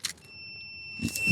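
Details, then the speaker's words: Multimeter on ohm/continuity setting testing the seat safety switch on a John Deere zero-turn with a no-start, no-click fault; steady high beep as the seat is pressed, showing the switch closes; continuity beep, switch good. "can y'all hear the [Music] beat that seat switch is good"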